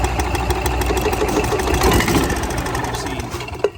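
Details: Club Car golf cart carburetor adjustment: uneven, stumbling engine beat that sags and lags instead of picking up with throttle when the low-speed mixture screw is backed out too far, giving an overly rich mixture.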